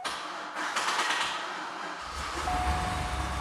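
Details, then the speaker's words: 2003 Chevrolet Corvette C5 Z06, bought not running with backfiring and a typing-like bang traced to the second driver-side fuel injector, after injector replacement: brief crank, catches, steady low idle with no pops or bangs; clean normal start. "it's a bit low but starting right up no big noises off the beginning so that our theory was correct"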